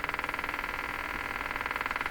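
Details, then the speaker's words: Motorboating from a Stromberg Carlson 561 tube radio tuned to 600, new after a tube swap: rapid putt-putt pulsing about thirteen a second through a midrange speaker buzz, with popping and a slow rise and fall; a ground connection is suspected. "the motor boating, and then there's a slow rise up and down."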